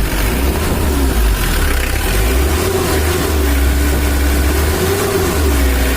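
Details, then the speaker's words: 2013 Mitsubishi L300 diesel after adjustment: low, steady idle with an even beat and no shake or stumble; idle lowered and now stable, no longer shaking as before; normal idle. "ini mesinnya udah stabil langsamnya udah kita kecilkan tidak goyang kayak tadi"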